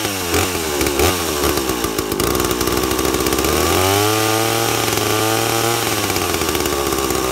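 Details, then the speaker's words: Unloaded two-stroke chainsaw with impulse-diaphragm carburetor, low-speed jet already set a smidge rich; high-speed (H) jet tuned by ear from screaming lean to slightly rich: pitch sags and burbles, settling into a slightly rich four-stroking note. "after you get the low set and then make the high so it's a little bit thick a little bit rich and you'll hear it as I tuned it here"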